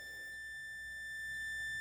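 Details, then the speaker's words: Electrolux MEF41 microwave that won't power on, multimeter continuity test on board: steady unbroken beep both directions, short circuit at diode/capacitor area, capacitor to be removed to isolate. "Arena apitou de um lado e do outro vai apitar a mesma coisa suas de ouro Está apresentando curto"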